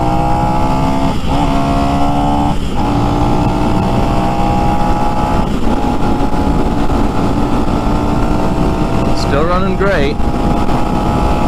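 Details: New Lifan X-Pect single-cylinder, about 70 miles, breaking in on break-in oil, stock: steady drone, pitch easing smoothly up and down with throttle, no knocks or misses; normal running.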